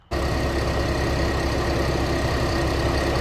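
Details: Infiniti G35/G37 after swapping a loud lightweight crank pulley for a damper-type pulley: steady even idle, smooth low rumble, no knocking, ticking or shaking.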